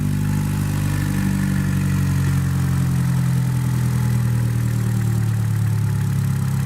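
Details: 2015 Chevrolet Cruze LT after replacing the valve cover/PCV valve that had been sucking air, causing rough idle and a check engine light: smooth, low, steady idle with no ticks, misses or surges; normal idle.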